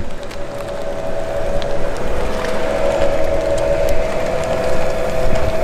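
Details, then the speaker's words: Chrysler Pacifica plug-in hybrid minivan driving in all-electric mode on a road trip. A steady mid-pitched whine holds over road rumble without wavering: the normal electric-drive sound. "this thing makes an interesting noise let me have you listen to it when it's running all electric"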